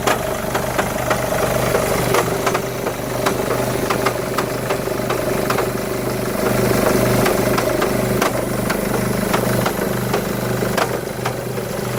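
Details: 2011 Mercedes E200 W212 petrol idling in Park: erratic metallic rattle, irregular clinks about three a second, loudest in Park/Neutral, mostly subsides in gear, more audible under bonnet, smoother near 1500 rpm.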